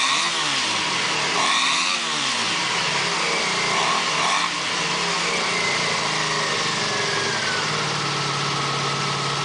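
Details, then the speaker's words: 1987 Honda VF700C Magna after a carb clean, 110 main jets in all four carbs, opened airflow and the crankcase breather hose removed; carbs not yet synced with gauges. Idle is steady and busy, with an even beat and no misses or knocks. "I don't know until I get my better gauges. I still could test it. It sounds pretty good."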